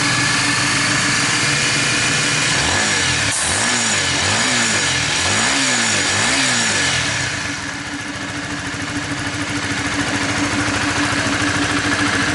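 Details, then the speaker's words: 2017 Honda Sonic after replacing the sticking automatic cam chain tensioner and changing the oil. Steady idle with a few clean throttle blips and no cam chain tapping; the earlier rough ticking is gone and it runs smooth. "Oke teman-teman, jadi untuk motor CS1 nya udah halus dan alhamdulillah. Sonic sorry CS1. Jadi untuk CS1 nya udah kelar dan alhamdulillah udah halus, udah kembali halus."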